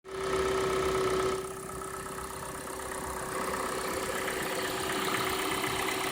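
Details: Cold engine at idle: a steady light tapping about four per second over the engine hum that fades once warm; cold-start knock fixed by replacing the hydraulic chain tensioner.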